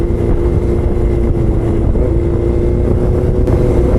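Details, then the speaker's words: Honda CB400 motorcycle running rough with a loud, choppy engine note that never settles into an even beat, likely misfiring; owner says it sounds bad, like a flame, almost like a cruiser bike. "Pangit talaga ng tunog oh, naririnig nyo ba? Parang may flame eh."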